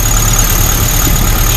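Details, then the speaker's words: Suzuki SJ413 with a Toyota carburetor, idling: low, even rumble with no misses, knocks or hunting; idle nice and steady, engine fine, runs better than the stock carburetor; a small squeak heard is not from the engine. "Not the engine itself, but the engine's actually fine. And that Toyota carb works really good on here."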